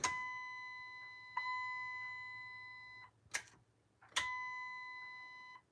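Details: Dover impulse elevator hall chime: clean bell-like dings ring and slowly fade, repeating a few seconds apart with a steady tone; chime working properly.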